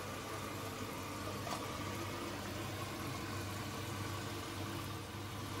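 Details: Bosch Serie 4 washing machine filling with water at the start of a 2h30 wash, spin set to maximum 1400: low steady hum and soft water noise, no thumps or grinding; quiet, normal wash cycle.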